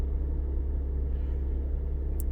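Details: Lexus IS200 six-cylinder idling cleanly with a low, steady rumble, no stumbles or dropouts; normal idle after the ignition coil was replaced to cure misfires, transmission temperature reading 14 degrees.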